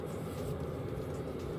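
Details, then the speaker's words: VEVOR 8 kW diesel air heater, model CY5002, after the burner ignites and the fan activates. Soft, even blower rush over a low steady combustion rumble with no surging or popping. Heater running normally. "It now sounds different. And the fan has been activated."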